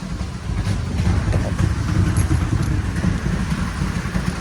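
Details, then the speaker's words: 2007 Toyota Tundra 5.7 V8 with P0300, P0302, P0304, P0305 and P0306 codes idles rough and lumpy, misfiring on cylinders 2–6; new plugs didn't cure it, fuel pressure and air-leak checks were fine, and replacing the damaged, clogged catalytic converters fixed it. "you know I got this misfire right here the misfire is in cylinder 2 4 3 five and six"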